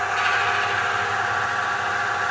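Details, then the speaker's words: Metabond friction test, third phase (roller on block in oil treated with Metabond): smooth steady hiss with no squeal or scraping, and the ammeter shows no rise in load; dry it seized at 45 A, plain oil at 65 A. "nu mai auzim ampermetrul nu indică o creștere de sarcină"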